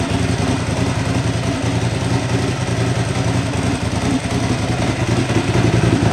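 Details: Ducati Hypermotard 1100 S just restarted after a four-year rebuild, oil freshly topped up: lumpy, uneven V-twin idle with a dry, loose rattle on top, steady throughout; normal idle, the rattle being the Ducati dry clutch ("bag of spanners").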